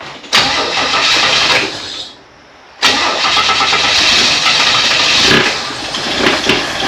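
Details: 1964 Chevy II Nova after full brake system rebuild, first start attempt in a few months with a small fuel leak: starter cranks steadily in two long bursts, no firing; won't start, not yet picking up fuel.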